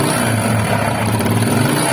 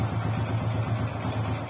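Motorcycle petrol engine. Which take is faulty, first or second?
first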